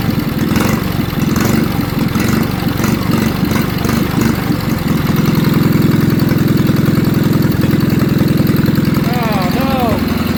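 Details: Old Wisconsin TFD engine on its first test run after its carburetor, unused for over 25 years, was cleaned with no new parts and air covers still off: low thumping idle that smooths out, then keeps an even beat with no misses; runs fine.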